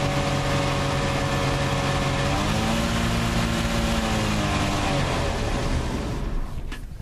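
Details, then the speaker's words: 1987 Gran Fury with suspected fuel starvation, run with the gas tank bypassed: the engine note climbs and sags unevenly, then dies, the same as before, so the tank is ruled out; fuel pump still suspected. "that's all you need to do that was quick and easy and it's not out of gas so it did the exact same thing stupid wasp the exact same thing by passing gas tank so we know that it's not the gas tank definitively"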